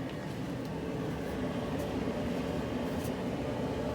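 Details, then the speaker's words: Whirlpool Estate EGD4400WQ0 gas dryer after an idler pulley fell out, test run with hand over exhaust end after burner lights: steady even rush of hot air with low hum, no rattles or scraping; airflow normal. "oh yeah we got nice hot air out of here nice flow so we're good to go"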